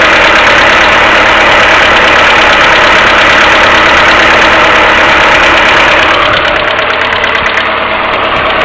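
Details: Mercedes A-Class W168 1.6 petrol, cold engine at idle without throttle: steady rapid ticking about three per second from collapsed hydraulic valve lifters, timing chain tensioner hum also audible; a common A-Class fault, fixed by replacing the hydraulic lifters.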